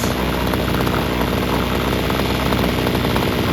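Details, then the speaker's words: Homelite two-stroke string trimmer after adjusting the air-fuel mixture screws and the idle screw, without cleaning the carburetor: a steady, buzzy idle without surging or dying, fast enough not to stall and slow enough not to engage the clutch. "Adjusted the idle screw so it stays running. RPMs are at a speed so it doesn't stall, and it's not too fast to turn the clutch."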